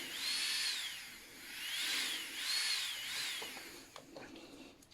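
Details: Strong 120II manicure handpiece after repair (new original brushes and bearings, dust removed): a clean, high-pitched whine sweeps up and down with speed, with no rattle or grinding.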